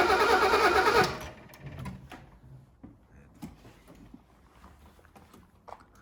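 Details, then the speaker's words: 1983 Mercedes W126 280SE unused for over 10 years: about a second of loud rapid cranking catches briefly on direct fuel, then dies to scattered ticks; ignition is good, and the unheard fuel pump is suspected. "Ah merde, elle donne, hein. Ah là, ouais, elle veut y aller."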